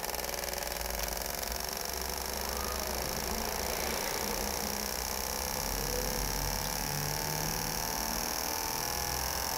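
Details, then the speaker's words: Injectors from a 2009 Toyota Corolla 1.8, which had a slightly unstable idle, on a test bench after cleaning for flow and equalization: rapid steady clicking with constant buzz, no skips; all flowing 83–84, evenly matched and healthy. "Pessoal, voltando aqui com os injetores do Corolla do José Antônio, agora ele vai testar após a limpeza. Fazer o teste de vazão, né, e equalização."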